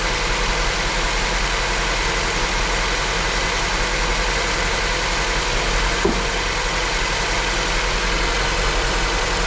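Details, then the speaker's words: Honda at idle with the cylinder 2 misfire persisting after the injectors were replaced and the injector and its power supply were checked: a rough, uneven idle with an irregular stumble. "Nadal mamy problem z zapłonem na drugim cylindrze. Naturalnie obniży obroty biegu jałowego, przez co automatycznie będzie działać jeszcze gorzej."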